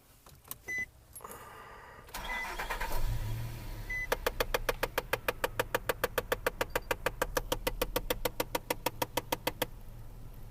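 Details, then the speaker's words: 2005-2014 Nissan Xterra right after engine start: crisp dash click repeating about three times a second over the idle; jammed HVAC recirculation flapper, stops when pressing recirculate or when passenger airbag light goes out. "all right that's the noise we were looking for so what you'll notice is uh if you have this issue you can actually make it go away by hitting the recirculate button"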